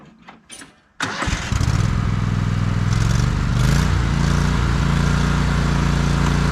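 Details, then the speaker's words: John Deere L130 riding mower after deck belt, pulley and spindle work: engine catches after brief crank and runs steady and even, with slight background whirr from the still somewhat noisy deck; normal running. "well that's going to do it for this one everything seemed to work fine on it the deck's still a little bit noisy"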